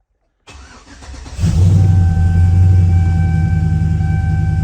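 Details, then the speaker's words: 2004–05 Chevy Silverado 1500 5.3L with Texas Speed Chopacabra cam, Speed Engineering long tubes and 3-inch single exhaust, cold start: brief crank, catches and settles into loud choppy loping idle; healthy start. "Oh, start to hear it starting to chop. Yes, sir, starting to chop."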